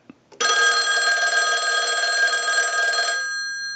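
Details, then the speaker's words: Verizon single-slot payphone at initial checkout, analyzer sending a ring cycle like an incoming call: bright, even metallic bell ring for about three seconds, fading cleanly; ringer works normally. "now what we want to do is go ahead and use the analyzer and send a ring cycle like you were getting a call so we'll start that"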